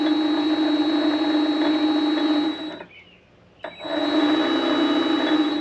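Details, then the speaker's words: Vevor MX400 mini lathe headstock running before greasing: a steady whine with uneven clunking underneath; the clunking and bearing noise are suspected to come from gears that need play on their shaft, not confirmed. "but all the clunking and the bearing noise I think it's just these these gears moving around and they can't be too tight because they're they have to spin on this shaft so they they have to have some play in them it's just how it is"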